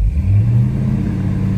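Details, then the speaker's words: 1968 Dodge Charger 383 big-block V8 after closing the overly wide points gap: pulls up and holds an even beat at higher rpm without dropping cylinders, though it seems to labour more at idle; improved running. "it's not dropping out cylinders at higher RPM anymore. So that's an improvement."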